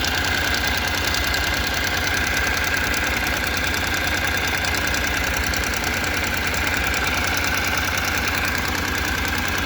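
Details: 2014 Honda NC750X, 55,300 km, idling after first-time valve clearance adjustment: fast, even light ticking about three per second over steady twin idle; valvetrain noise suspected, not confirmed.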